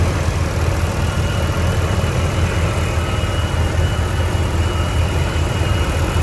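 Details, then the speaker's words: 1993 GMC Sonoma (S15), 245,000 miles, idling after the distributor replacement fix: smooth, even idle with a constant low rumble and no stumbles or pulsing; a bottle on the engine shows no pulsation. "I mean, I can't even feel it pulsating. But 245,000 miles on this, but you know, things happen for a reason."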